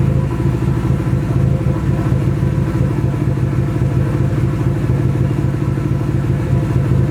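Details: Nissan SR20 in a 240 on first start after engine install, open downpipe: loud raspy idle with an uneven, stumbling beat and dropped pulses; engine misfire, cause unconfirmed, owner suspects bad original gas.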